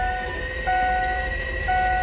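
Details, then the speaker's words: Ford 7.3 Powerstroke during injector replacement, cranked with a part removed to bleed the high-pressure oil system. Smooth, steady starter whine with no compression pulses; free starter spin, as expected. "so you hear nothing because that's just the engine starter full spin"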